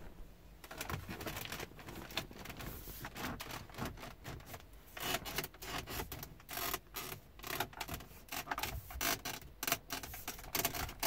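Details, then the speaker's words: 2019 Renault Grand Scenic TCe 160 1.3 turbo EDC: dense irregular creaking and crackling as the centre console trim is pressed, like old wooden stairs, also while driving; poorly fitted interior trim. "to nie tylko jak naciskam również podczas jazdy więc zazwyczaj kolanem zahaczamy o konsolę środkową która skrzypi jak stare drewniane schody masakra coś strasznego"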